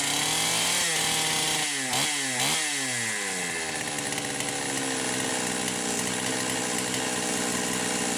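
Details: Poulan 525 chainsaw with governed carb, test run with no load after repairing carburetor gasket issues: screaming two-stroke at full throttle whose pitch dips and surges unevenly as the carburetor governor kicks in; owner wonders about coil rev limiter.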